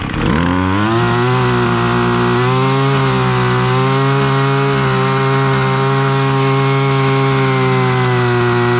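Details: Husqvarna 553 RBX brushcutter two-stroke, previously non-running, after its blocked hole clogged by an insect nest was cleaned: starts and settles into a steady, high, even buzz with no stumbling or misfire; runs cleanly.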